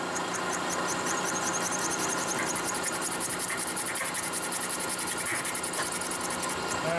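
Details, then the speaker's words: Used high-speed steel ball end mill cutting 17-7 stainless at 25,000: shrill wavering squeal over spindle hum with fast uneven chatter; machinist suspects a dull tool or material too hard for it. "it sounds like maybe two F to feed it's not sharp or it's too hard for it"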